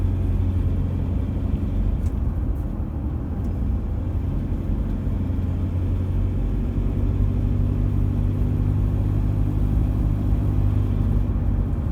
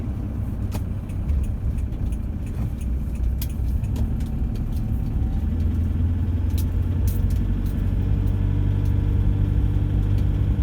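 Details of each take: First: Same diesel near full operating temperature: an even, steady, low diesel clatter at idle with no sharp knock. A fairly normal warm rattle; the bad combustion rattle heard when cold, possibly from faulty injectors, is hidden once warm. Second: Diesel, cold, about one minute after start at 1,500 rpm, light load and 50–60 km/h: a light-load drone with a loose, marble-like rattle over the combustion clatter; cause not pinned down.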